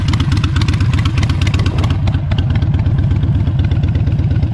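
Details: Harley-Davidson Iron 883 Sportster, jump-started after a dead battery and ridden up and down the street: strong, even low thump at idle, nearly three beats a second, swelling cleanly with throttle blips; healthy, normal idle and revving.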